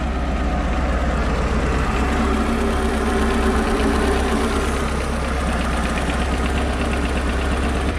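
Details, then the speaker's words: Mercruiser boat engine after starter solenoid replacement, starting first try without pumping: low, steady burble at idle with an even beat and no misses or knocks; normal idle. "normally with my boat it'll start on the first or second try and fire right up one try yep there we"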